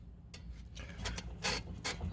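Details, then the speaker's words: Worn, visibly torn suspension control arm bushing gives irregular dry rubbing squeaks over a low hum; heard on left turns. "hear that i probably won't hear that squeaking yeah that sounds so annoying i hear it whenever i make the left turn"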